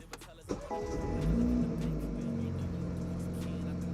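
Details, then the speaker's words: BMW, first start after removing and reinstalling the DME (engine computer): quick crank, catches cleanly into a steady even idle with no misses or knocks; no fault codes afterward, normal start and idle. "right, start it up like a charm. You can go ahead and check if you have any faults."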